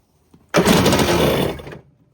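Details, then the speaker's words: 1994 Kawasaki 550SX stand-up jet ski, reed two-stroke, 180 psi both cylinders, spark present: on starting fluid it catches with about a second of rough two-stroke buzz, then dies. "Well, she fired up."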